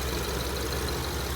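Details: 2011 BMW 550i N63 V8, 96k miles, after dealer service: steady idle with fast light ticking over low rumble; owner suspects injectors, unconfirmed.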